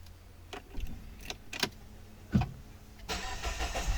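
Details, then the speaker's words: Peugeot 3008 that would not crank and showed a battery charge or electrical supply fault, after its battery protection and management unit was replaced: clicks, then the engine fires at about 3 seconds and idles smoothly. Normal start. "I cranked the car cranks just fine after that we changed this part over here"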